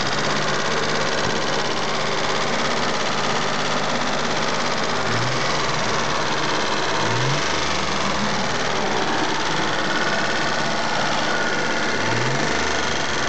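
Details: Mitsubishi GTO at idle: a light, fast ticking over a steady engine note, likely from the top end. Owner suspects lifter tick (unconfirmed) and plans to change to Millers 10/40 fully synthetic oil.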